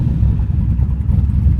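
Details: Bonemaro, the Hot Rod Garage street/strip car with a fully built turbo V8, just fired up, great oil pressure: deep, lumpy V8 rumble holding strong and steady with no knocks or ticks; healthy engine.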